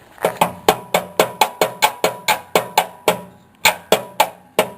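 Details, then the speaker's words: Toro mower deck, belt drive being reworked, spun with everything turning clockwise from the top: sharp hollow clacks three to four times a second as the deck turns; a loose blade knocking. "blades loose I like that I don't know if you can see that with the camera down below the deck"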